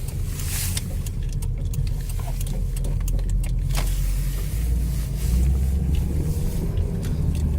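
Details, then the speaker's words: 2001 Chevy Optra driven while turning: sharp irregular clicks/screeching from the front driver's side over road rumble; suspected stabilizer link, strut or spring, found to be a broken stabilizer bar link. "There is a screeching sounds. It's probably the stabilizer bar link, or it might be also the strut or the spring."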